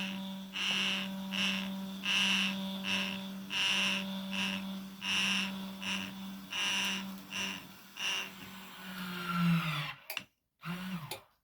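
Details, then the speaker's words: Truma SE R caravan mover bought as spares or repair, test before repair: motor runs in on-off bursts with steady hum and harsh high whir; one drive unit noisy but working, cause not investigated. "This one's a bit noisy, but I can bear with that. I'm not stripping it down for a bit of noise."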